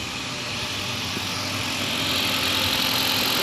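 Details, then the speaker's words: Newly installed engine at first idle after cam/crank relearn, cold and warming, belts off, no coolant but oil filled, a little smoke expected; steady even idle, fast regular patter, bright hiss, no knocks or misses; normal. "got a little smoke back there. That's to be expected. Just running."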